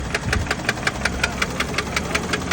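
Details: 2020 Toyota Supra MKV (B58) petrol engine idling with a loud, sharp knock about five or six times a second as the engine failed, after exhaust smoke and an engine warning.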